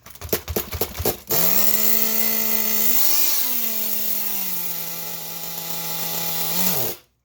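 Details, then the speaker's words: Nitro RC car engine on a hot June day: shrill, buzzy, steady high note that flares briefly near three seconds, then sags slightly; high-speed needle set too rich and then adjusted. "so I just unfunded again and also tweaked the high speed because it was too rich so we're gonna go for a second start attempt here"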